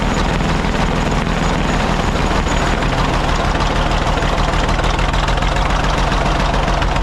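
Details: Caterpillar D8 2U crawler main engine running after its first start, revived after the pilot (pony) motor was sorted: deep, steady diesel rumble with an even, unhurried beat, no knocks or misses; motor sounds fantastic, healthy normal running.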